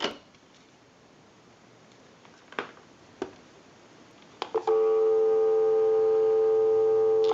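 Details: Disney Channel Mickey Mouse novelty telephone, after repair, line cord moved to a live line: quiet line with a few clicks, then a steady even dial tone for about three seconds before dialing a time-and-temperature number; line works normally.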